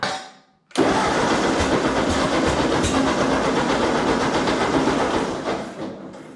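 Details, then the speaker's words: Ford 8N tractor that had just run perfectly after an ignition adjustment of about an eighth of an inch: steady starter churn, about four beats a second, never catching, then it winds down. Owner suspects it only needs choke; it later started with choke. "that's crazy it was just running perfectly i don't know maybe you need a choked a little i think i just need a choke"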